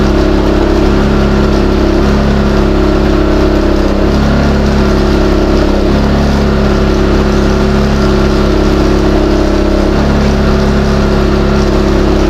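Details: New Westinghouse iGen4000DFc dual-fuel generator on gasoline, first run out of the box, powering an air compressor at about 1400–1700 W and 122 V: a loud steady drone with small load steps as the compressor cycles. Normal under load.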